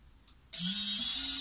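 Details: Brushless FPV quad motor after replacing bearings with EZO 684ZZ 9x4x4: clean high whine that climbs smoothly and holds steady, no grinding or rattle; normal motor spin-up.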